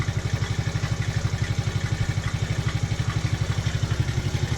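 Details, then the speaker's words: TaoTao 110cc mini quad with excessive blow-by and heavy oil use, owner suspects shot rings and top end: idle with even clatter about four times a second over exhaust, suspected bad top-end bearing; usually improves when warm. "oh yeah you can you can hear that that bearing that went bad the top end we still use it though it's not like it's gone but you can sell something"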